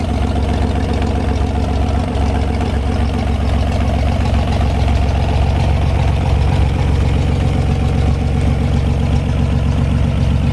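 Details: 1973 GMC 432ci V6, pulled from a parted-out truck in 2019 and unstarted for almost five years, run on a fuel can after prep: deep, steady, even idle with no stumble or knock. Normal healthy idle.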